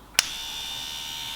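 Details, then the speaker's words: 1988-89 Ford Sierra Sapphire Cosworth 2WD, off the road over 10 years, ABS brake pump motor bench-powered after repair: click at switch-on, then smooth, even high-pitched electric whir without the earlier vibrating noise; motor running normally, fixed. "Oh, you beauty, can you hear that running? That is fixed."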